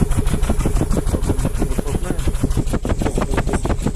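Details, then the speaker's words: 2019 Nissan Terrano with a cylinder 3 misfire, idling unevenly with shaking and weak, skipped exhaust beats; the second ignition coil is preliminarily found faulty. "двигатель троит слышно что потряхивает его неравномерная работа на холостом ходу с выхлопной тоже слышно неравномерную"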